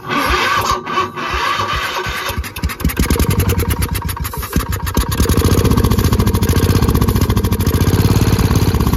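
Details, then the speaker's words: Gravely Promaster 50 tractor, sitting two years, carb cleaner sprayed in, choke cable frozen: slow, uneven cranking with brief sputters that almost catch but never run; owner suspects lost spark. "Close. I feel like we just lost our spark for some reason."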